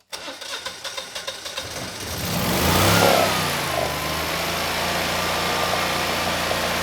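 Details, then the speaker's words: Generac 20kW standby generator, GTH-999 999cc engine, glitter found in oil: about a dozen even cranking chuffs, then it fires and holds a smooth, steady run making power; sounds healthy on restart. "So, on the surface, this does seem like a good machine. You know, we have excellent compression. Uh, the engine sounds good, and we're making power."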